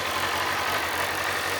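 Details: 2007 Kawasaki ZZR600, carbureted DOHC inline four, said to be mechanically tip-top with rebuilt fork seals and a new cush drive. Smooth, steady idle with even firing and no knocks or rattles. Normal warm idle.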